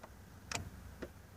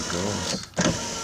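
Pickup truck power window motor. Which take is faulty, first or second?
first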